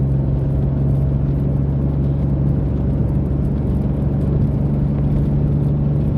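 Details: Mitsubishi 3000GT SOHC with gutted catalytic converters, after earlier top-end flat spot; strong even engine drone pulling cleanly, no misfire, knock or flat spot; possible sunroof seal squeak.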